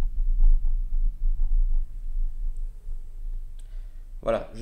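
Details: Hi-fi bass reflex speaker playing a low-frequency test signal; a deep, heavy low tone with a soft rushing, puffing air noise on it, which is air chuffing through the bass reflex port.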